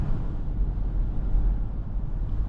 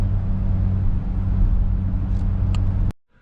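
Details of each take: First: 2006 Ford Explorer Eddie Bauer on test drive after replacing both rear hub bearing assemblies; steady low road rumble at cruise with no roaring or hum rising with speed, now quiet and healthy. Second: 2006 Ford Explorer Eddie Bauer driving, after front hub bearings, hubs, axles and front differential were replaced: steady low droning airplane-like roar under the cabin persisted, traced to worn rear hub bearings.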